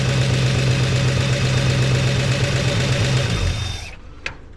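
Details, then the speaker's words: 1969 Chevy C10 engine with oil pressure restored to 50 psi. Steady, even note holding speed a few seconds, then winding down smoothly to shut-off, no knock or tick; sounds healthy, flush and oil change still planned. "Woo! That's awesome. Got the oil pressure to run again. And it does sound better, but I got to run the motor flush, do an oil change, get all that stuff out of there."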